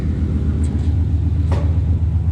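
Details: Coyote-swapped Fox-body Mustang with Aeromotive 340 fuel pump, after replacing a blown fuel hose: deep even rumble, smooth steady idle with no knocks or misses; fuel pressure confirmed at 60 psi, fixed.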